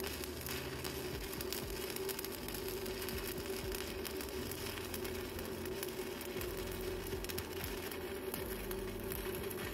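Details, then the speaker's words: GB (Goudenbur) MMA 200 stick welder with arc force, welding a bead along plate: steady even crisp crackle with constant frying hiss, no pops or sputtering; stable arc, good welder performance. "coba dengarkan suaranya ya dia renyah sekali kalau yang sudah lama berkencimpung di dunia pengelasan dari suaranya saja sudah tahu ya seperti apa dari performa mesin las tersebut atau seperti apa kestabilan api tersebut"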